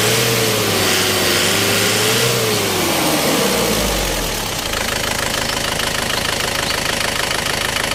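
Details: Isuzu 4JA1 diesel, hard starting and low power; clatters with hard uneven knock about three beats a second at idle, running rough, cause not evident.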